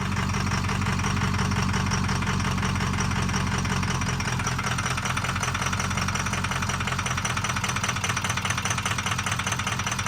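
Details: Ford 6.0 diesel F450 wrecker idling with an uneven, stumbling clatter and wandering rhythm, recorded while checking fuel pressure. Fuel pressure is low and the Motorcraft fuel filter was full of rust and dirty fuel.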